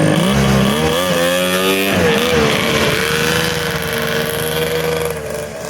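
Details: Polaris triple-cylinder two-stroke modified snowmobile ("Wet Basement") after full rebuild, skid just reinstalled, fired up in driveway: crisp high wail climbing cleanly and holding steady without misses or stumbles; normal revving, healthy.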